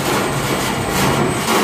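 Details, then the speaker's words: Valley Pioneer GF480 trommel dirt screener (Chinese rotary screener, electric motor on VFD), run briefly near 1,800 RPM motor speed: steady busy clatter over drum and motor noise, loose sheet-metal panel rattling because bolts were never fitted or vibrated out. "Of course, it's kind of a rattle trap. Got sheet metal here that's loose. That's what that rattle is. They just never put bolts in or they vibrated out."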